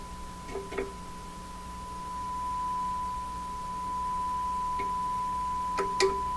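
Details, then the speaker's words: 1940s Canadian Red Cross tube radio; steady clean tone with faint handling clicks after a rough IF alignment peaked at 455 (was off at 437), trimmer screws turned to reduce capacitance; old capacitors not yet replaced; much better than before. "okay now I may not be [Music] perfect but it's got to be way better than it was"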